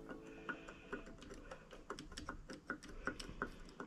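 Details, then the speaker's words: Honda CT110 postie bike engine during teardown, engine not running, connecting rod rocked by hand: dry metallic clicks at irregular intervals from a lot of vertical movement. The big end is worn and needs a new pin and bearing. "The main thing is you could see this has got a lot of vertical movement. You can even hear it."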